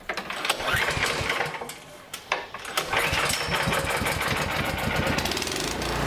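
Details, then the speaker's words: Toro snowblower with overhead-valve engine, after the carburetor's small jet was enlarged with a drill to cure surging: engine catches and settles into a steady even run with no hunting revs; governor holding speed, surging fixed. "okay so i've got the shop paired out i'm going to start it up and you will see that there will be no surging"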